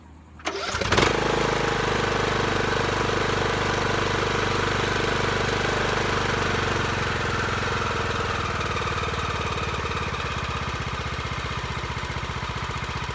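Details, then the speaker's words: Lawn tractor after carburetor replacement or governor adjustment and new filter: catches after short crank, then settles into steady, even single-cylinder beat, no misses or knocks; sounds like a winner, normal running. "it sounds like a winner so um basically i'm gonna put it all back together real quick"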